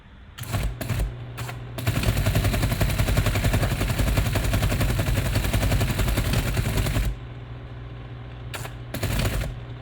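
Fast, steady mechanical clatter for about five seconds, then short bursts; teleprinter hammering out a line of print normally.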